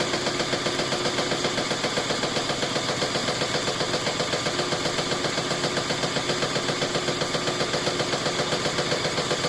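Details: GE top-load washer after clutch shifter replacement, banging steadily about four knocks a second during spin cycle, cause unknown.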